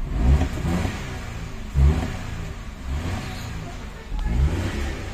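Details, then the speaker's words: Hyundai Eon with a long-crank hard start, after replacing the injector O-ring. It catches within about a four-count crank and runs with a few clean throttle blips and a steady idle; normal quick start. "Ulit. 1 2 3 4 lang. Andar na."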